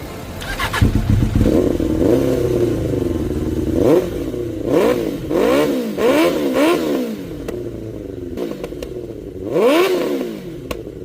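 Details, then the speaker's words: 1992 Suzuki Katana 750F after new coils were fitted and wiring faults traced to the fuel sender. It starts and catches, and clean throttle blips rise and fall with no misfire: all four cylinders running. A throttle cable issue remains. "The bike did turn on. Everything seemed to be working good. No more spark. All four cylinders are running."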